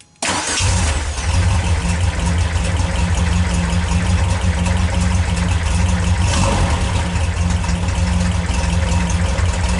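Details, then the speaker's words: 1974 Volkswagen Karmann Ghia with dual IDF carburetors, no chokes, after starter repair: a quick, even starter whir, engine catches into a steady low idle. The owner believes the repaired connection spins the starter faster and engages every time; cranking sounds healthy. "I believe, I don't understand exactly how, but I believe the connection actually spins the starter faster. Not only does it seem to engage all the time, but when it spins very quickly."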